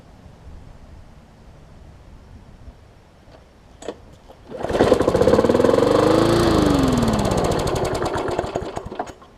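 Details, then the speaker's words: Briggs Classic engine with slightly bent shaft, straightened by trial and error, fitted to a Hyper Tough push mower: fires after a few pulls, fairly even beat, revs rising then sagging slightly; a hundred times smoother, diaphragm issue remains. "again i got a diaphragm issue with it still but it is a hundred times smoother and totally doable"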